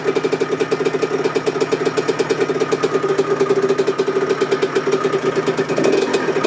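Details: Yamaha YZ125 two-stroke rebuilt as a 144, first run after engine rebuild, mocked up in the frame with exhaust fitted but no springs yet. Rapid, even two-stroke popping at a steady idle with a slight exhaust rasp, no knocks or rattles; rebuilt engine sounds healthy.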